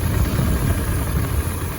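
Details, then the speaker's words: 2003 Mitsubishi Montero Limited V6 said to have a snapped timing belt; lumpy uneven idle with shaking as spark plug boots are pulled one at a time to find the misfiring cylinder: misfire, one cylinder disabled. "it sounds like it's got a misfire so I'm going to go through the process of removing different spark plug boots to see if I can figure out which cylinder has the misfire"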